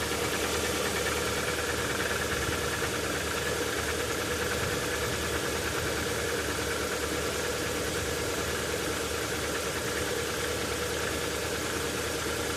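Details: Lada Vesta engine just after a sub-zero cold start: faint, fairly regular tapping about twice a second over an even idle hum; cause not identified.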